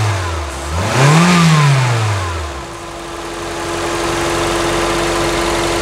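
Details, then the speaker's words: 2004 Toyota Corolla VVT-i gasoline engine, first start after head gasket replacement, engine removal and overhaul, timing set: revs up smoothly and settles to a calm, even idle, no knocks or misses; normal idle and revving, healthy. "não é mainha é muita melodia calma e com troca da junta do cabeçote e revisão do motor"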